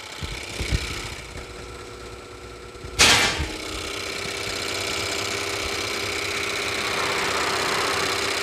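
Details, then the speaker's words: Ford BT50 / Everest diesel injectors repaired for surging, stumbling and stalling, tested on the bench rig: after a clap, a steady even spraying hiss with light uniform ticking and no skips; all injectors delivering equally after repair. "เสร็จเรียบร้อยแล้วนะครับผมไลกลับเท่ากันนะครับการฉดเท่ากันทั้งหมดนะครับ"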